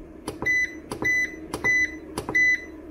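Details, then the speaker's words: Vevor 5500W (EM 5500-48L) inverter, charging its battery at about 1 kW from solar: sharp high double beeps about every two-thirds of a second; the alarm buzzer sounds before being muted, cause not given. "akkor lenémítom hogy többet ez ne szólaljon meg nekünk mert hallottuk a hangját nagyon szép egyébként és nem is annyira idegesítő ahhoz képest"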